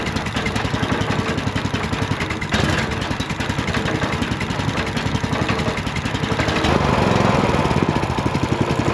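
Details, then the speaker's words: Ridgid RD80770 3800 PSI pressure washer, long unused, water through pump, not under load: steady fairly even beat, no knocking or misses, smoking a little; seems to run okay. "I mean, it is smoking a little bit, but not enough to like I don't know, man. It seems like it runs okay."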